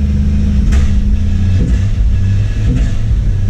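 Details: Jeep Cherokee being revived, accelerator floored under load. A heavy drone that sags and labours and barely pulls; owner suspects timing is off. Engine bogging under load.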